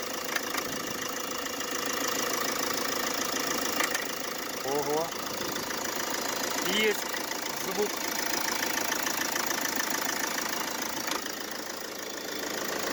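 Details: Mercedes Vito W639 with OM646 diesel, cold idle: loose uneven rattle with short squeaky chirps from the AC compressor mounting; mount squeals and knocks when cold, temporarily fixed by fitting a shorter belt bypassing the AC pulley.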